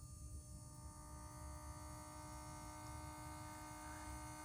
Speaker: you'll think oh my gosh my motors burning up or whatever you think you know people panicking but it's okay it's just that your bobbin winder motor is on